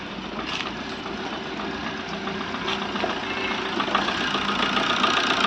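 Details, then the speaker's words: Maruti Swift diesel misfuelled with petrol, first start with petrol still in the fuel rail and injectors and no throttle given: uneven knocking idle with ragged firing that slowly settles and evens out as the engine runs; rough idle from petrol contamination in diesel. "നോക്കാം engine ഇപ്പൊ steady ആയി വരുന്നുണ്ട് okay engine work ചെയ്ത് work ചെയ്ത് steady ആയി വരുന്നുണ്ട്"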